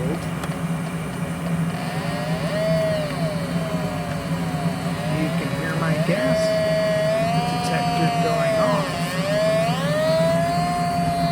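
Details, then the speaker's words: Natural gas furnace running with burners lit: an electronic gas detector held at the welded end of the burner manifold gives a warbling alarm over the burner hum. A gas leak is detected; a poorly welded manifold end is suspected, not confirmed. "off it's going crazy so my guess is that this um gas manifold has a welded end on it and the weld isn't uh quite welded up together"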